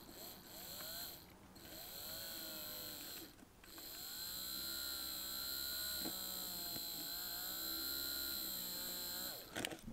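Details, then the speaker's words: Small micro hydro turbine output powering a little motor: faint thin whirr wavering in pitch as it barely runs with no torque, near stalling; fluctuating voltage, too little power from the turbine. "as soon as I try to power anything such as this little motor I just took that in there which does work and that there see it shuts off turn this around so you can hear it it is running it's hard to see so it does barely run that it's got no torque whatsoever though"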